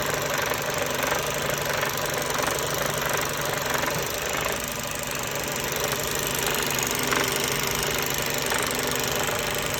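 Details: Mercedes-Benz Euro 5 truck diesel at steady idle with an abnormal, uneven loose knock under heavy clatter; the area around the high-pressure pump and air compressor is found wet, and the cause is unconfirmed.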